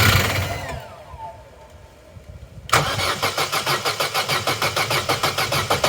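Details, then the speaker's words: Opel Corsa B, sat unused 4-5 years, new battery at 12.1 V: engine winds down, then starter churns with even pulses about three a second but never catches; it ran briefly on fuel introduced via the intake, so spark works and the fault is suspected in fueling. "right that may not seem like much to some but that is significant we know the engine can run and we know the fault lies in the fueling"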